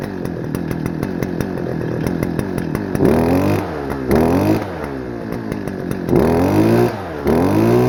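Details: Stihl FS-250R two-stroke trimmer, long stored with old gas, carb diaphragm hardened, before rebuild, cold rainy day: rough at low speed, throttle blips climb only partway then sag, smoking a lot; running rich, poor revving.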